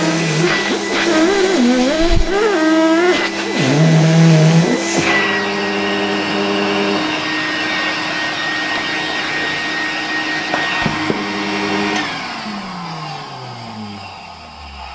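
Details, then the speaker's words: 1973 Zelmer 01A vacuum cleaner, reassembled with type 34 motor, run as a blower near 220 V: messy sounds then a steady even motor whine with strong airflow and smooth spin-down; healthy. "Jak słyszeliście, ten strumień wylatującego powietrza też jest naprawdę całkiem niezły i mocny."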